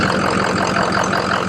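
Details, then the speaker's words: Ford F-350 diesel idling after replacing injector number three, confirmed faulty by 30 rpm drop when disabled: even, steady diesel clatter with no misfire or stumble; smooth on all cylinders after repair. "it sounds smooth right now so now we're going to go out and test drive it"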